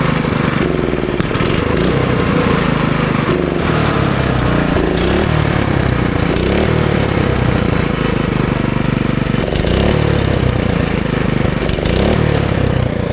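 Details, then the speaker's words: Vintage Streaker one-wheel-drive go-kart with Jiang Dong 196cc OHV single-cylinder engine, running after the carburettor bowl was reinstalled and trash from the fuel cut-off was cleared; steady, crisp beat holding speed without stumbling, sounds healthy. Normal running. "no worries man the old jang dong is really sounds really good yeah so i reinstalled the bowl of the carburetor and got the trash out of it"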